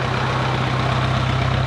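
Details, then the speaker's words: 1951 Farmall Cub tractor after a carburetor clean, fresh fuel and rewiring, just started: a steady, even, low putter at idle with a smooth firing rhythm, no knocks and good oil pressure; runs well. "It sounds good. And these motors just purr."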